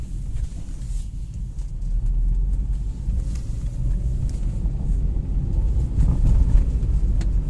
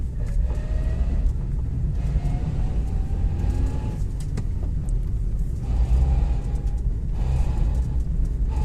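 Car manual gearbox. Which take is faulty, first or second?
second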